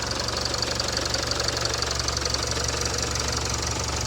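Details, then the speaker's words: 2017 Range Rover Evoque diesel after turbo replacement following squealing turbo: steady even idle with light regular clatter about three ticks a second, no whistle or screech. Normal idle. "Certainly sounds nice."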